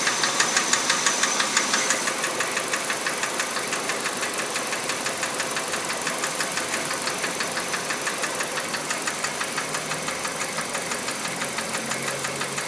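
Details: Kia Rio JB, G4EE 1.4 97 hp, automatic, Mobil 3000 oil: sharp light even ticking about three per second at idle, keeping pace with the engine; owner suspects hydraulic lifters rather than injectors, unconfirmed.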